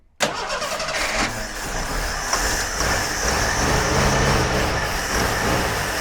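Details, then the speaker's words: Jeep CJ5, in the family since 1983, not started in about 34 years. Starter grinds and the engine catches in uneven bursts but never settles into an idle. Won't keep running; owner suspects it needs fuel flowing to it. "well i think she'll run if we can get some gas flowing to it"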